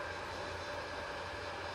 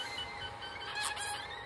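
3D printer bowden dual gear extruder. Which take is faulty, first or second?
second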